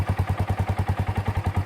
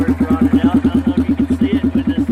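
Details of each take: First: Kawasaki Bayou single-cylinder ATV after replacing its rotten muffler with a used Kawasaki 300 muffler mounted in the stock location: even, steady thumping at about seven pulses a second with no rattle or blowing, so it runs healthy. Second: Kawasaki Bayou single-cylinder ATV before repair: steady loud popping thumps at about three a second, rasping straight out the exhaust. The muffler is rotted and holed; it will be replaced with a used Kawasaki 300 muffler.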